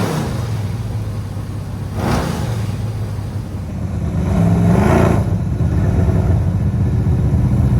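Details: 1967 Chevelle retired race car with a garage-installed engine, radiator and exhaust: big low lumpy V8 rumble, two throttle blips rising and settling back to an even, steady idle. Normal idle.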